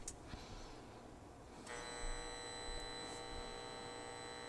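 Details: Carver Silver 9t amplifier number two on the bench driven with about 3 V RMS input near its 575 W maximum output: a faint steady buzz with a thin high whine that comes in and holds even, normal transformer hum under load.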